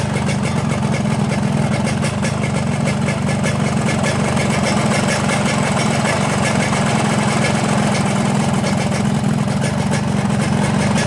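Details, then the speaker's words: 2003 Yamaha RX-King two-stroke after cylinder rebore and new piston: steady, smooth idle with no rattle or knock; earlier rattle was from a loose, wobbling piston, now fixed. "Kami sudah mengganti pistonnya dan suaranya kembali halus, teman-teman. Tidak ada suara berderak seperti kemarin."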